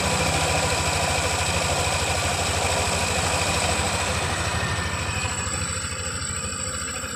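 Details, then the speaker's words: Yamaha NMAX 155 (new) after valve rocker arms (pelatuk klep) replaced for rough engine noise: even, steady idle with soft regular beat and no valve-gear tapping; smooth again, normal idle. "jadi suaranya sudah kembali halus seperti semula"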